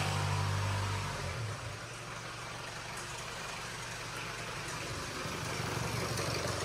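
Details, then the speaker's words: Range Rover Evoque Ingenium diesel, first run after failed-engine repair and re-timing, at idle: fast even clatter about four beats a second; engine believed fine apart from a slightly stretched timing chain, needing gearbox removal to replace. "I'm quite confident there's nothing else wrong with that engine other than that China so what it must have stretched that chain slightly"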